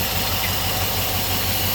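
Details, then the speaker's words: 4.7L V8 idling after a head replacement, with a steady airy hiss over an even idle, quieter than before; vacuum leak suspected but not found, and no vacuum code is set. "it sounds like a hissing from in here somewhere. Well, it's not throwing a code for any vacuum loop. Something's hissing."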